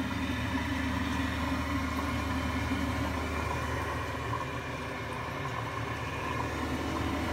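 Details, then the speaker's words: Gas boiler with Giannoni parallel-coil main heat exchanger, recorded during servicing with the burner firing; steady deep jet-like roar under the burner hum, no banging yet; blocked coil, which eventually causes heavy banging: partially blocked heat exchanger. "and this noise is a block coil and the boiler actually run fine with a block coil eventually just starts a banging crash heavily"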